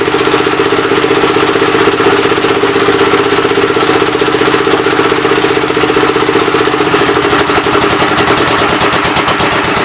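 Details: Old engine's first start attempt on a temporary coil ignition: slow, uneven chuffing with a hollow puff on some strokes. The intake valve appears to be leaking but is not hanging open; the owner plans to pull the cylinder head and lap the valves.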